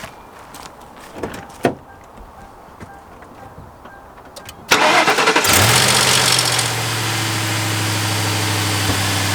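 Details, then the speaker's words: Ford Crown Victoria/Grand Marquis after replacing belt tensioner, idler pulley and serpentine belt: engine cranks, catches and settles into a steady, even idle with no squeal, chirp or rattle; belt tracking properly; normal idle. "As you can see, everything looks good. The belt is tracking the way it's supposed to be. And there's no crazy loud, weird noises."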